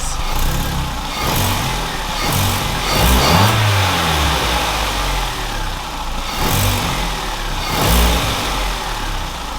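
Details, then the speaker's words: Vauxhall Corsa SE track car, warm to operating temperature, after fitting a green single-cone induction filter. Clean throttle blips over a steady idle with a louder intake roar and no knocks. The owner thinks it sounds better. "so I don't know if the microphone pick that up but I am convinced that sounds better there's more of a each time now it sounds sick"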